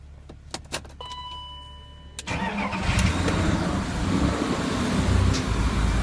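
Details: BMW E39 with M52TU B28 engine, cold start; uneven light tapping knock at idle that goes away as it warms up, caused by a cracked crankcase ventilation hose letting in unmetered air.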